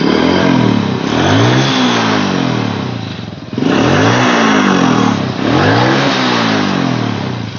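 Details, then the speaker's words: Honda Supra Fit that sounded rough when revved though smooth at idle, retested after repair; engine climbs and drops cleanly through three blips, smooth exhaust with rough noise nearly gone: normal revving. "bunyi nyaris hilang Tidak ada yang tertinggal sedikit tentunya suara kasar"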